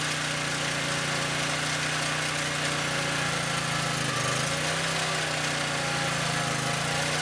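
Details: Southland lawn edger that wouldn't start even after spark plug replacement, with the carburetor then checked. The small single-cylinder runs at a steady buzzing idle with a brief dip midway. Normal idle.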